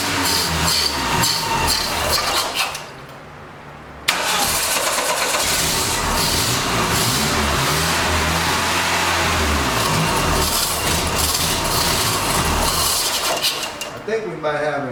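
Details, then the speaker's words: 1989 Dodge Daytona ES: starter churns steadily about three and a half beats a second, never catching; still overfilling with fuel, owner suspects injector; flooded no-start. "still just blaring the gas over there for some reason i don't know why but it's still dumping a lot of fuel in there like it's overfilling"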